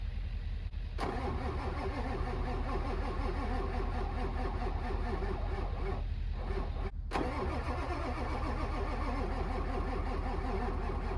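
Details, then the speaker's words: Winter retry of a diesel truck: long, even cranking at about 2.5 turns a second for over ten seconds without firing. A hard-starting diesel; the owner fears it may be a challenge. "I guess we'll try it again. I just don't know. This might be a challenge."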